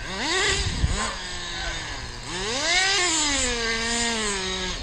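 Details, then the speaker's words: Kyosho FW05 nitro RC car from eBay, rebuilt with new fuel lines and a cleared high-speed needle blockage, bench-tuned and driven: high whine climbs lazily off the bottom; low-speed needle sluggish, deliberately left running rich for now. "I like it though good car looks like the low-speed needles a little sluggish too still but like I said I'm gonna let it run rich for a while nobody's coming"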